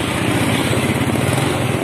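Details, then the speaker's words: Yamaha Mio scooter, cold engine, exhaust heard by the roadside: uneven, stumbling stutter on initial throttle, dying if forced; fine when hot; also hard to start in mornings; the carburetor had been replaced with another. "nah seperti itu ya tiga Syawal Brebek dan jika dipaksa di gas malah mati tapi jika mesin sudah kondisi panas maka tidak terjadi masalah ini saat mesin dingin saja"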